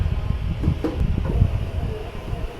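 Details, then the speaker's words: Midea 9.5 kg automatic washing machine on an empty spin with a low, uneven rumble and irregular thumps as the drum shakes unstably: suspension springs/absorbers worn and very soft. "nampak tak dia bergegar kat dalam tu dan nampak tak stabil tu. Bergegar dan tak stabil."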